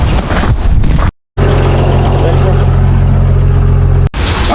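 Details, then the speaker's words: 1962 Hyster forklift after a Zenith single-barrel carburetor rebuild, carburetor set on the bench and not readjusted, old battery charged; steady, even low rumble with a smooth firing beat and wind in the mic. Runs beautifully. "but it ran beautifully we didn't even have to readjust the carburetor settings I had it dialed in perfect on the bench"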